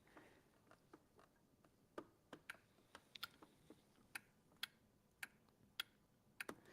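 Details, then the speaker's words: Small appliance safety micro switch where the handle attaches, heard up close in a quiet room after repair: crisp separate clicks as it makes and breaks freely; it had been stuck, likely from sitting unused. "because it's a quick, easy thing to be aware of. Remember that little micro switch that was there where the handle attaches?"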